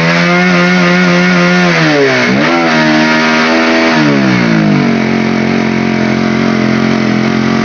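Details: Honda CB150R revved after the air intake area was cleaned: revs rise, then stumble and sag sharply and drop back to idle, unable to hold full throttle; the bog persists after cleaning.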